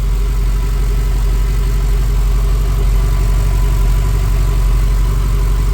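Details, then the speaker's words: Ford BA Fairmont V8 after timing chain parts were replaced, on a cold day; smooth, even low idle with a steady beat, and the ticking heard at idle before the repair is gone. A healthy engine. "Remember before when it was idling, it was still ticking. It's not ticking now."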